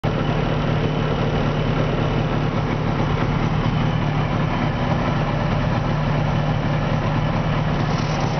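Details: 1970 Subaru 350 Young idles smoothly and evenly on both cylinders with no knocks, misses or rattles after its second rebuild; the earlier strange noise was traced to a loose pulley; normal idle.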